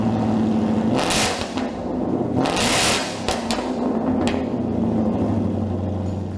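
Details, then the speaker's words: 2018-2023 Mustang GT with newly installed MBRP Black Series Race cat-back exhaust: loud, deep V8 burble at idle with a few sharp throttle blips, no rattles or leaks; normal, aggressive exhaust note, loud by design. "So Jason, the race is advertised. It is loud. Hey, we designed this kit to be loud, but still sound great."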